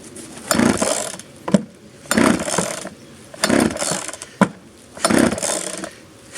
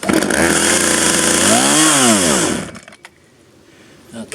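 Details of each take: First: 1997 Poulan 2150 chainsaw, 23 years old, cold start on choke after the choke was pushed in too quickly: the two-stroke revs in crisp, even bursts about every three seconds and drops back cleanly; runs normally. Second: Cold start of a 23-year-old 1997 Poulan 2150 chainsaw: saw revs high, then the pitch sags and recovers unevenly before dying. It stumbles because the choke was pushed in too soon.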